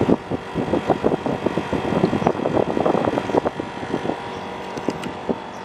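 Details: National CU-915KH 1.0-ton mini-split outdoor unit (1990s, Matsushita, Japan) on the roof tiles, noisy since September 2012: uneven knocking and rattling clunks over a low running drone; rattling outdoor unit, possibly from worn mounts, unconfirmed.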